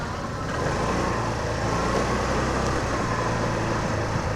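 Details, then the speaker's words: TVS Scooty Pep+ BS3 scooter after repairing a fault where it started then died on throttle: engine runs steadily and picks up cleanly on throttle with no stumbling or cutting out, road noise in background; normal running. "Final గా అయితే బండి అయితే మంచిగా run అవుతుంది"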